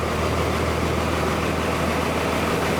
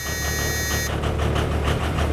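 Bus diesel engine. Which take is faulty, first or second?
second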